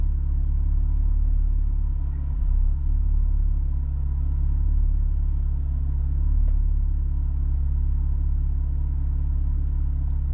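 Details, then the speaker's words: 3.6 Camaro with an injector code (owner believes injector 4); after codes cleared, low uneven lumpy idle pulsing about four per second, with a big, hard-hitting cylinder 4 misfire; cause suspected, not confirmed. "There's okay, cylinder 4 is misfiring now. You can feel it. And it's a big misfire too. When it hits hard."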